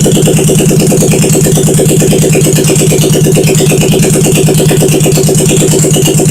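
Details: 1971 Honda SL350 twin, first start after engine rebuild, carbs primed, choke on, kick-started, no throttle fitted, temporary battery feed to ignition and points; loud, steady rapid putter with even firing, no knocks or rattles, normal healthy idle.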